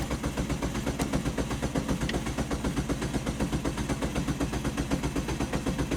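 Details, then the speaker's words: 2004 Jeep Grand Cherokee, crank no start: steady starter cranking at about 80 turns a minute with no firing. Scan tool shows no crank or cam count and no RPM, with a crank sensor code stored, pointing to a failed crank sensor. "and nothing no cam no crank and no RPM"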